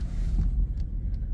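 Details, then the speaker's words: 2008 Suzuki Grand Vitara, about 197,000 miles, that popped when turning; a shop had wanted to replace the rear differential. After the fix, driving at full lock: smooth low rolling rumble, no popping or binding; normal drivetrain. "and it's quit making the popping noise so it's pretty crazy that this shop was going to charge her three thousand dollars to fix this car to replace the rear end when the rear end's not even the problem"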